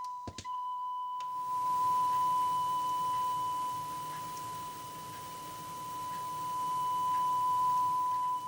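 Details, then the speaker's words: Commodore 64 datasette head azimuth adjustment using a self-made 1 kHz calibration tape, audio taken directly from the head: tone swells clear then dull as the head turns; loudest, clearest point marks correct alignment. "you hear it Go clear and then go dull again and we want to get it to its loudest and [Music] clearest"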